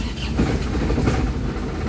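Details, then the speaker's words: Isuzu Crosswind diesel idling without throttle: low heavy rumble with an uneven, lumpy beat struggling to hold idle; blamed on an engine internal problem, and idle adjuster screw raising is suggested, cause unconfirmed. "narinig nyo. So kailangan mo i-accelerate. So ibig sabihin may problema yung nito, yung loob ng makina."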